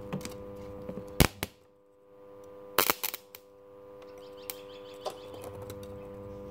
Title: Home made spot welder progressing slow. But it works. 555 time circuit. Part 3